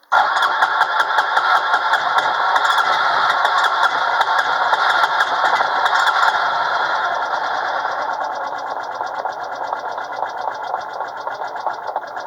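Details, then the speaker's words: ATV cold start after starting fluid is sprayed into the intake: engine catches and runs unevenly at a fast, rattly idle that slowly settles. It is hard starting and needs help to fire. "Blast a little stopping fluid in there. That ought to do it. Darn it. Who said cheaters never win?"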